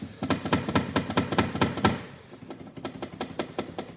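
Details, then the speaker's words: Haval Jolion, noise in the cabin above 60 km/h: sharp hollow metallic taps in bursts as wind shakes the fender liner and its unsecured screw strikes the body metal. "ветром начинает мотать подкрылок и вот здесь вот винт бьёт по кузову"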